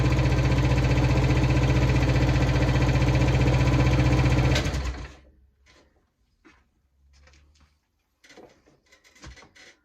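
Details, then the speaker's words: Hayter 41 lawn mower, cold start after repair (faulty cable found by testing fuel, combustion, compression); had conked out and wouldn't run. Now an even, steady single-cylinder idle, ticks over lovely, then shut off. "There you go, even ticks over lovely."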